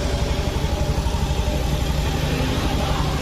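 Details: 2019 Honda Beat Street scooter, which smoked and burned oil, noise traced to the cam chain tensioner: soft, even low putter at idle with no chain rattle or clatter on top; quiet, healthy idle.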